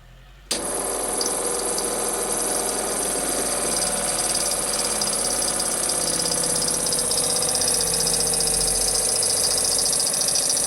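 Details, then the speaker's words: Worn SureFlow 40 psi thermally protected RV trailer water pump running: steady harsh high-pitched squeal and hiss over the pump hum, likely dry worn bearings (suspected); pump to be replaced with an older 35 psi FlowJet. "Sounds like the bearings are pretty shitty in it. Wow. Squeaks pretty bad."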